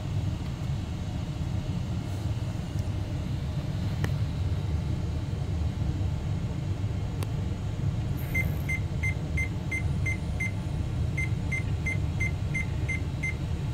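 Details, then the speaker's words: Mystery 486 tower with Intel i486 DX2, AMI BIOS, after reseating SIMMs and engaging turbo: over steady fan hum, repeated runs of seven short evenly spaced beeps, indicating a possible processor error. "right we got seven short beeps so I guess we gotta troubleshoot that new beat code all right so seven short beep codes could indicate a problem with the processor"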